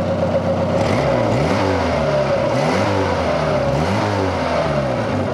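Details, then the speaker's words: Fiat Cinquecento: raspy, blowy exhaust note rising and falling with each rev, chuffing at the taped joint where front and rear exhaust sections connect, which is split and leaking gas. "Ah, no. Wait, there's one more thing I've got to do and that is the blowy exhaust."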